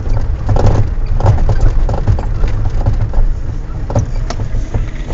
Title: Странный стук в подвеске